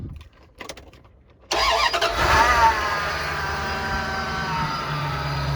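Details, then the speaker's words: 1996 Dodge Ram 1500 van after new computer and refilled tank, fuel primed three times before cranking: starter catches almost instantly, settling into a steady, even idle; normal start. "All right, good. I already primed it 3 times before I turned the key, so it started right up."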